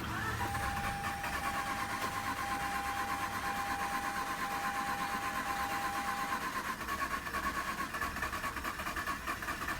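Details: Mazda RX-8 that shut off while parking, check-engine light flashing, cranked after adding starting fluid: steady starter churn with uneven pulses for ten seconds, never firing, smoke from the rear. Cranks but won't start; cause not confirmed.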